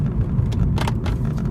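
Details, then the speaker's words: Mercedes W212, inside the cabin while driving: short sharp creaks in uneven bursts over road rumble. Owner first suspected the gear selector area, but the squeak was later traced to the dashboard near the windshield and eliminated. "вот ручка вот тут скрипит есть хорошая новость я наконец-то убрал скрип который мне мешал"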